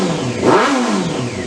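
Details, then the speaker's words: Honda CBR600 after carburetor work, not run since March, still cold and on choke: clean rev climbing and falling smoothly with no stumble, popping or rattle; dry motor, normal revving. "dry motor hasn't run in a long time but not bad definitely"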